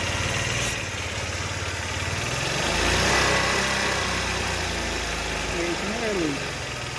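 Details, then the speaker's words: Honda Elite 80 scooter on the bench after carb cleaning. Buzzy small engine climbs and sags unevenly when revved, thin and hesitant. Owner suspects it runs lean from sucking in extra air, possibly the petcock vacuum hose. "think when i rev it up it's running lean because the problem is because it's sucking in air"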